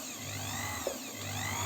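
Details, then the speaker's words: Janome 509 sewing machine, about 15 years old, with the belt off while tracing a squeak/grinding: smooth, even low motor hum with no grinding or scraping; motor runs normally. "смазка там уже с пылью закоксовалась и начала под скрипывать сейчас маслом все расквасил [музыка] и все вполне адекватно работает"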